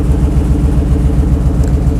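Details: 1968 Bronco engine on base tune with open exhaust and small V-band leaks, warming toward 195°F fan-on temperature (coolant at 187): loud, deep, even V8 lope with no misses or knocks; normal idle.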